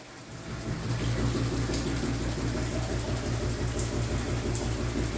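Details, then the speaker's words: Shower mixing valve running fairly hot; rapid low thumping about three knocks a second under the water hiss, water hammer occurring only at certain temperatures, pulsing felt in valve and pipe; fixed by replacing the valve. "not sure if you can hear that um yeah we've got we got this thuing sound you can actually see the see this thing moving um quite a bit"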